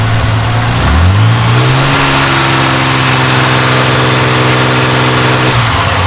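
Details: Reliant Scimitar after tappets adjusted to spec two ways, oil and plugs done, camera moved to the noisy side away from exhaust: idle after blip with light, fast top-end ticking keeping time with engine, suspected tappet rattle, unconfirmed.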